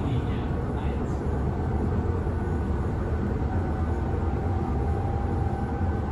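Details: Berlin S-Bahn class 485 railcar 485 112-7, built 1991, riding Schönfließ–Hohen Neuendorf on the S8: heavy, steady low rumble and rattle from under the car, rougher than usual, from a severe wheel flat spot.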